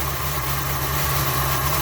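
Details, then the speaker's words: 1981 Dodge B250 Ram van V8, first start after years parked: lumpy, uneven idle, owner estimates only about six of eight cylinders firing. Misfire, cause not yet identified. "Lay on about six of them now, it seems like. Maybe."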